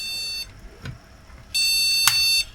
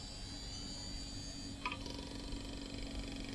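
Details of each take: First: Retro PC motherboard powered on with no RAM installed, speaker connected: two high, long beeps about a second apart with no fan noise, the POST beep code for missing memory. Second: Retro PC hard drive with 16 MB RAM booting: low steady hum with a faint high whine building about two seconds, then a short beep; drive spins up and is detected, sounds half healthy.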